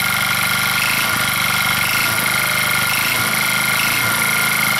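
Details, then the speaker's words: Old motor scooter, unused since 2014 with a shot battery, idling after restart: a busy metallic rattle and loose clatter over the exhaust beat; something rattling and banging, source unclear, possible moisture inside; engine rattle and knock. "so something up in here is rattling and banging and I'm not quite sure"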